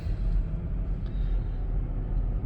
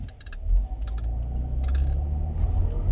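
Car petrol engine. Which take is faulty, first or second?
second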